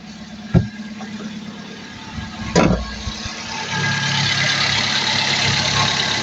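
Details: 2017 vehicle with crank-no-start caused by a faulty relay, after replacing the relay: a couple of clicks, then the engine catches and settles into a steady, even idle with no stumbling; starts and runs normally.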